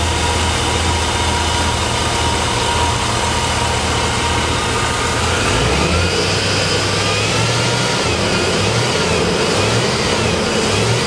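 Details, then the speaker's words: Vehicle fed from an external fuel tank and pump pressurised to about 40 psi (spec about 60): once the line fills it starts, idles steadily and revs cleanly. "now we crank it had to fill that fuel line up first starts and runs"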